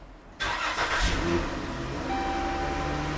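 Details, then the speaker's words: 2013 Dodge Grand Caravan 3.6 Pentastar V6 after rocker arm (roller follower) replacement: cranks, starts and settles to a smooth even idle with no misfire and the ticking gone. "there we go no misfires sounds good ticking's gone perfect"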